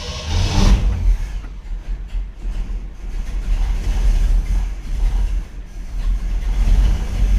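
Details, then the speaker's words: 1959 Chevrolet Bel Air 348 V8 with a Rochester 4-Jet carburetor, cranked hot without choke right after the air bleeds were sprayed with Gumout: a deep uneven rumble labouring to catch, the engine flooded and hard to start. "So again, I'm not going to set the choke. We're just going to crank it and see what it does. See, it's definitely flooded."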